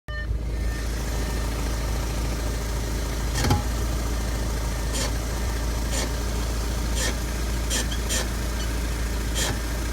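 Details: 2014 Audi A5 2.0T quattro, driver front brake only, after a little driving with brakes warmed up: sharp brief clicks about once a second over road and engine rumble; returned a week after dealer replaced caliper, rotors and pads; cause unknown.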